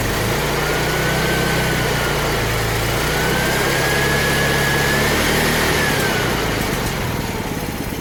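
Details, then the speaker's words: Small engine running an even, steady beat with a faint rising and falling whine; it smooths out once the tube is hooked up and runs normally, settled and smooth. "all right another success you can even hear it smooth out a little bit once I hook the tube up"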